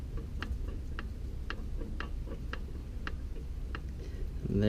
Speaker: there's my noise. Alright. Diagnosis confirmed. Rod knock.